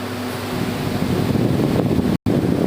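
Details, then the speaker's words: New air cooler with honeycomb pads, fan switched on after the water pump was checked running: steady, even rush of air with no knocks, rattles or scraping; fan running smoothly and normally. "ये देखिए fan on किया और देखिए माशाल्लाह first class चलने लगा।"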